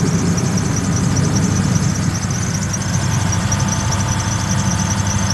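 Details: Neglected 2002 Lexus SC430, misfiring with codes, engine visibly shaking: low uneven idle rumble with a thin steady belt squeal on top; rough running misfire and belt noise.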